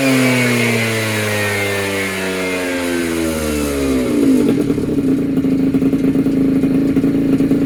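A buzzy two-stroke revs high, the pitch falls away, then it settles into a crackly, busy idle; it runs fine.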